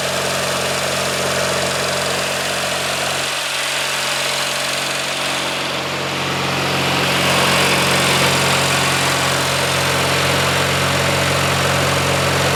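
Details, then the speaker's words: Early-1990s Craftsman GT6000 tractor, Kohler Magnum 18 HP, just after complete carburetor cleaning and rebuild, fuel now reaching the filter: even, steady idle with a smooth hum and constant beat, no misses or stumbles; normal idle. "better yeah that's amazing my goodness that sounds so nice this is one of those engines that I think if you take care of it just going to run forever"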